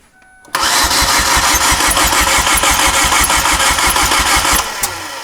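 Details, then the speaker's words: 2008 Chevy Aveo no-start, after a repair for oil-filled coil boot holes: steady starter cranking at about three beats a second with an airy hiss, and the engine won't fire. Smoke and combustion gases come out of the coolant overflow bottle, so the head gasket is blown. "Okay, Danny. Whatever we did, this head gas gets blown."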